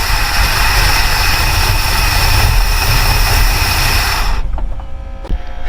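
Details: Ford Falcon Ranchero ("FalconStein"), carburetor leaking fuel heavily: loud, lumpy uneven idle for about four seconds, then stumbles and dies; owner suspects a stuck carburetor float.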